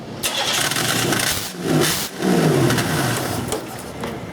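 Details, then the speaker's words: GM engine, fixed-lean O2 sensor causing overly rich running; O2 sensor removed to relieve back pressure, engine catches and revs unevenly then sags and shuts off; suspected restricted exhaust from plugged, melted catalytic converter, flames from O2 port. "now that shouldn't be shutting off we I'm concerned here still a little bit start that back up again"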